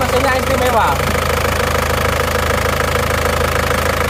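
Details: Isuzu Panther diesel just rebuilt after burning oil from running out of radiator water (two liners, two pistons, rings replaced), just started with temperature still at C: steady even clatter, fast regular beat, no knocks or misses; normal cold idle.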